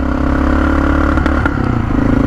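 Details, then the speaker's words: A recently bought Honda XR650L single stumbles and clatters, bogging as soon as the throttle is cracked open, even after the carb bowl was drained. The owner suspects water in the gas and plans to drain the bowl again to confirm. "i wonder if i've got water in my gas i think this gas has water in it somehow i don't know how but i've got a feeling this gas has water in it"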